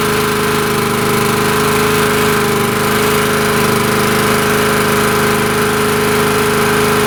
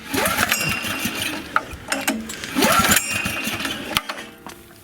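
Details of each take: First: Honda EG2200X 2.2 kVA generator, possibly 1980s–early 90s, just started after fuel drained: steady, even drone with no misses, surging or knocks, very smooth idle; owner suspects earlier no-start was air in the fuel and thinks the carburetor could use cleaning. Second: Honda EG2200X 2.2 kVA generator, possibly 1980s–early 90s, fuel on and choked: several recoil pulls whir the engine over in short bursts but it never fires; a no-start, cause not yet found.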